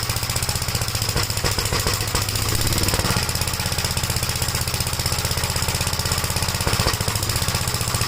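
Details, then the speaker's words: 1956 Gravely L single-cylinder tractor at cold start, after a head gasket replacement and valve adjustment: a fast, slightly uneven beat. It smokes, burns oil and runs rough on every start but smooths out when warm. Worn rings are suspected. "But every time you start it up, restart it, it smokes and it runs rough."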